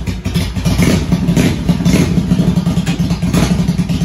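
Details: Motorcycle jump-started from a Milwaukee impact tool battery, on choke, owner suspects kill switch trouble: slightly uneven clattery putter over outdoor noise but keeps running; runs pretty good, normal idle.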